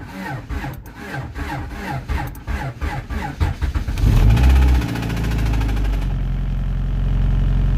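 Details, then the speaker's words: 1992 Honda Accord with a stock JDM H22A on a turbo setup, cold start after sitting: cranking, then a rough idle with an uneven knock about four per second. Owner suspects the motor is going, possibly cam-related; not confirmed. Engine knock on cold start. "well ladies and gentlemen I'm going to go out on the limb and say that this motor is going I'm driven it yet but listen at this that is that sound very bad sounds like the cam scared to drive it"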